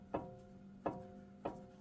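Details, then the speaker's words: 2018 Jeep Wrangler Unlimited Sport, front axle passenger side, axle rocked by hand: three sharp metallic clunks from the universal joint into the front differential, with visible play; worn U-joint needing replacement. "see how you can hear that clanking. So that universal joint is starting to go."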